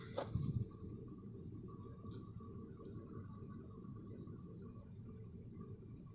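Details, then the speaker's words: Toyota Verso steering turned left and right after a loose nut was tightened by hand: only a quiet low cabin rumble, and the column knock is gone. "исчез весь стук который меня так бесил"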